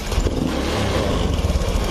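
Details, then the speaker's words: Honda Beat Pop scooter with a faulty throttle position sensor: at idle it is normal, but snapping to full throttle makes it rev unevenly, go blog-blog and die out; stalling at full throttle. "kita gas lagi gaspol langsung blog-blog mati nih lagi mati"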